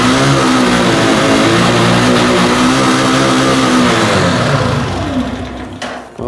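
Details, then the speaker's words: Italika Z 150 150cc single after carburetor and timing checks: revved hard past 6000 rpm, pitch wavering and sagging, firm rough noise inside engine; mechanic suspects internal fault causes the problem, carburetor also bad, unconfirmed. "pero yo estoy pensando ya analice todo lo externo estoy pensando que ese ruido interno es lo que le está provocando que esta moto e"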